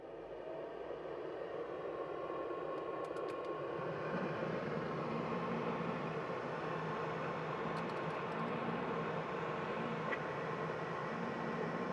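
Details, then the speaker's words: 1987 Porsche 911 Carrera Cabriolet HVAC with all fans on (engine fan, two footwell heater blowers): steady rush of air, smooth fan hum and faint servo motor clicks from the heater box as flaps close; normal blower operation. "There's a pretty good amount of airflow that comes out. You can hear the servo motors inside this box."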